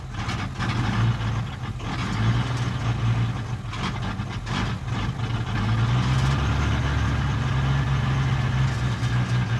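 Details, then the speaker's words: 1978 International Scout II with SD33 diesel after oil change, cold start, finicky when cold (glow plugs suspect): low clatter at idle, speed wavering; once held at about 1000 rpm for 20 seconds it idles but hunts; diesel idle hunting. "yeah and then once you hold it at about a thousand rpm for about 20 seconds then it will maintain idling but then it hunts a little bit and sometimes it'll do that"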